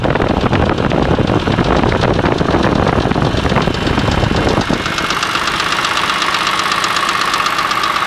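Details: BMW E46 M3 engine after rod/piston failure, used block fitted with original head, VANOS and cams: fast light metallic top-end rattle over running engine since rebuild, cause unknown.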